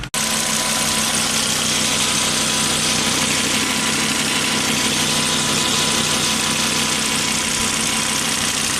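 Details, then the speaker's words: Volvo XC70 warming up at idle after new cam cover bolts were fitted, checking whether they seal against the oil leak: steady hum with a smooth, unbroken idle and no ticking or stumbling; warming up fine. "far it's promising we got to get under Booth to uh create some pressure you know in the crankcase"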